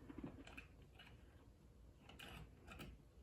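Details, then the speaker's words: Old 1960s electric train set, long unused, with sketchy wiring and an old transformer: faint irregular bursts of light mechanical chatter as the motor engages only now and then; owner suspects a loose wire; intermittent motor engagement. "maybe loose wire I don't know doesn't look promising it is very old"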